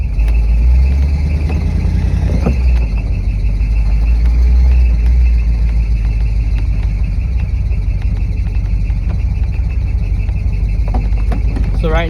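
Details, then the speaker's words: Chevy small-block 400 engine running: loud heavy run with high squeak coming and going from serpentine belt slipping, soaked by leaking power steering fluid and a bent power steering pulley; cleaning failed, pump and pulley being replaced. "it just makes that belt squeak really bad"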